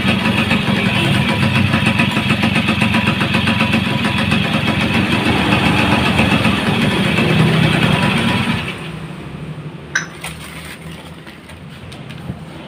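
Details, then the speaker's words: Yamaha F1ZR two-stroke fitted with a CDI Grand/Supra: smooth, even idle buzz with no misses or popping for about nine seconds before shutoff; former kickstart kickback gone, runs healthy. "Jadi kan motor ini sudah bagus ya, tidak ada berbet-berbetnya, tidak ada, dan juga kuncinya untuk tendangan balik yang dulunya itu ada."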